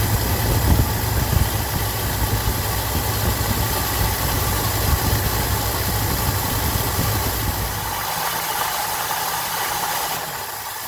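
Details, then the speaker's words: 1981 Cadillac 8-6-4 6L multi-displacement V8 after new idle speed motor and rebuilt ECM, cold in 60° garage, unrun for 3 months: rough uneven idle around 800–900 RPM with irregular stumble, suspected misfire, no ECM codes; spec idle 1500 RPM. "Yeah, she's running a little rough, but she hasn't run in like 3 months."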